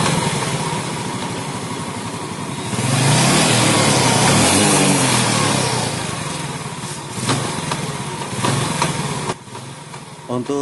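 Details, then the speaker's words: Yamaha Jupiter Z with intermittent gear-shift trouble: engine revs up and settles, with a loose rattle coming and going on the right side; clutch housing rubber dampers probably worn or crumbled. "suara seperti ini sudah bisa dipastikan ini dari rumah kanvas kopling. Ini kemungkinan sudah aus atau karetnya hancur, atau bisa juga sudah oblak lumayan parah."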